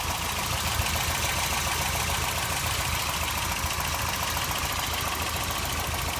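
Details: 1989 Toyota pickup 4x4 with 22RE four-cylinder petrol engine idles with a light, quick ticking over the steady run; owner suspects a noisy valve or possibly rod knock, unconfirmed; codes 25 and 26 also present.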